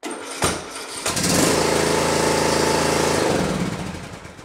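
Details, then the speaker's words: Riding mower, Briggs & Stratton Intek engine, starter cranking: labours and hesitates on the compression stroke, then catches and runs; battery and starter fine, fault is a broken decompression (compression release) cam on the camshaft. "see it hesitated there but it was just enough to get it started and that's usually a good way to tell if the batter's still good and your starter still still good and it's a decompression cam problem"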